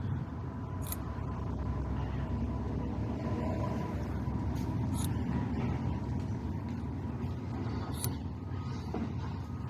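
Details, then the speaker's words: 1994 Ford F-250 7.3 turbo IDI diesel running: loose, uneven rattle over low rumble from a fuel system plunger rocking loose; its spring retainer is missing and the part is broken. "There's like a little plunger, and there's supposed to be there's a spring in there also that the plunger is supposed to, the pin of it is supposed to go through here, it looks like, and there's supposed to be something retaining it, but whatever that was, it ain't there. So that's why it's making that noise."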